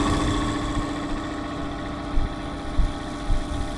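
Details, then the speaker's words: IFB air conditioner fan running: steady motor hum with an uneven knocking about every half second; fan blade hub cracked where the motor rod enters it, with the nut on the rod loose. "फिर हमारा ध्यान वहां गया जहां पर यह motor का rod पंखुड़ी में घुसता है। वो चनका हुआ है। दरार आया हुआ है उसमें।"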